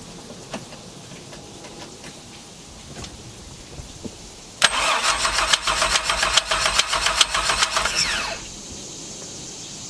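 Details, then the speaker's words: V6 truck engine swapped into MerCruiser ski boat, cranking after repaired cast-iron manifold refitted: fast, sharp, even clicking about two per second; owner suspects the starter. "like i sound is something banging over here be the starter loud clicking sound"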